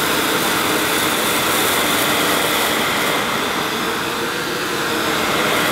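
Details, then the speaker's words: Hoover S2095 Quick Broom II mains-powered bagless stick vacuum, brand new, picking up mounds of dirt, owner expecting it may snowplow. Constant high airy rush, steady motor pitch, no strain or rattle: normal running under load. "But before I go, I can't leave these mounds of dirt, so I'm going to try and pick them up again using the cleaner. I have a feeling it might snowplow initially, but we'll see."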